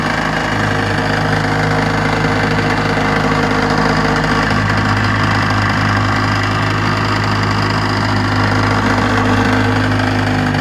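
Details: Restored 1956 Johnson 7.5 hp two-stroke outboard on a 14-foot jon boat, lake test run; even busy buzz holding steady speed on the water, no misfires, surging or knocking. Normal running.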